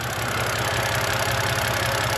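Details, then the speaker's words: 2011 BMW 128i N52 petrol engine at idle after a hydraulic lifter bleed procedure: lifter tick from the valve cover, which appeared after the car sat undriven, is basically gone, leaving only faint direct-injection injector ticking. "as you can hear is pretty much gone now um you will hear some ticking that's from the direct injection on the engine but the injector's firing but it's basically done"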